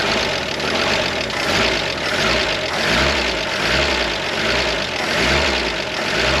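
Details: 1973 Jeep CJ5, sat 16 years, running on bypass electric fuel pump: coarse tractor-like idle with a slow even swell about once a second, no knocking; oil pressure up to 40, engine now running steadily.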